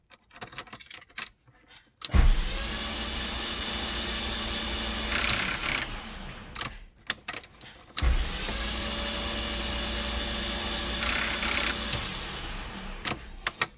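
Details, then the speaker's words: MK3 VW VR6 crank-no-start, all spark plugs removed, coil pack and fuel pump relay 12 disabled, cat flange off: two four-second bursts of fast even whirring with no compression pulses, engine spinning freely. "just free running"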